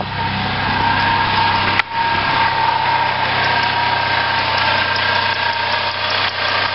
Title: bad water pump